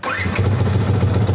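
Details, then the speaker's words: Yamaha Vixion starter motor that previously made a squeaky, crackling noise, after cleaning the armature and starter cover: even, quick cranking pulses of about ten per second with no grinding or squeal. Normal starter cranking after the fix. "halus oke mantap berarti berhasil Oke berarti ini sudah berhasil"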